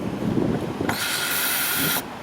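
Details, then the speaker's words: 2012 Jeep Grand Cherokee Overland Hemi with intermittent crank-no-start and no fuel pressure, TIPM suspected; fuel pump relay toggled on from the factory scan tool, key on: a steady high whir starts, holds about a second, then cuts off, so the pump runs. "We are in fuel pump relay control. It's in toggle. We'll turn it on. I don't hear it right here. Let's go. Oh gosh, hold on. Oh, I hear it now."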